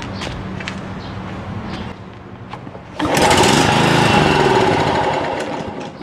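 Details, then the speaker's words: John Deere JX75 6 hp push mower with a no-start fault, given starting fluid: it fires and runs loudly for a couple of seconds, then dies. Spark and compression are present, so a fuel/carburetor problem is suspected. "right so the fact that it starts like that and stops tells me it's pretty much a fuel problem so we've got spark we've got compression and for combustion and so we're just looking at a fuel issue"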